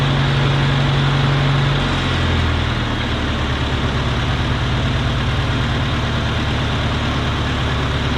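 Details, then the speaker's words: Farmall Cub tractor engine after carburetor rebuild and new steel fuel line with filters, choke off, a little throttle; steady low putter settling slightly lower, even beat, no knocks; normal idle, though it needs new spark plugs. "well my friends that was a success we got a carburetor all looking good rebuilt running good definitely need new plugs but that'll be for down"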